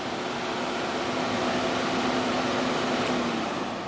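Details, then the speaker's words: VW Rabbit with code P0480, engine off: steady, even rushing of the electric radiator cooling fan with no engine note, staying on until the battery is disconnected. "so the fan is on i hope you can hear that so we're gonna have to disconnect the battery to get this fan to go off"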